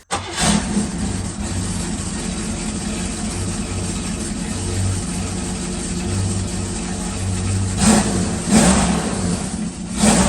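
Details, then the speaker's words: 1974 Leyland P76 V8 after a top-end rebuild and a new pushrod replacing a bent one: it contrasts with the earlier uneven compression with one cylinder dead. It fires into a deep, even burble with clean throttle blips, all cylinders pulling evenly, and sounds healthy. "listen to uh an uneven compression and then listen to an even compression now you'd say that's quite the difference isn't it like it sounds really really beefy and it sounds really really muscular"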